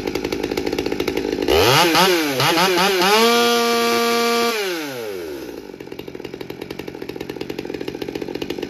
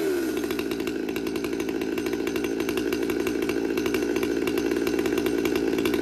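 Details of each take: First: Stihl MS200T chainsaw after repair of aftermarket tune-up kit parts (intake boot, carburetor, fuel filter; new fuel line), dry-carb cold start on choke: fires and revs to a clean, steady high whine, then settles smoothly; running normally. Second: Stihl MS200T saw with aftermarket carburetor and intake boot, new carb kit fitted, warm after cold start: busy steady buzz whose pitch creeps upward, much smoke; goes out of tune when warm, high idle.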